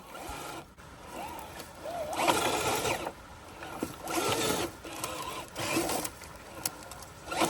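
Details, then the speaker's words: FMS 1/10 K5 Blazer FCX10 RC crawler, stuck in a bad spot on a steep climb: bursts of motor drive under heavy load with a thin wavering slipper clutch whine over the gears. "now up here I did kind of hear the slipper whine a little bit I got it in a really really bad spot up here"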